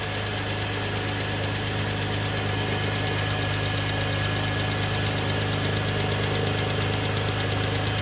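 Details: High-mileage BMW at startup idle: fast even ticking rattle from loose timing chain due to weak timing chain tensioner spring; replacing the spring removes the ticking.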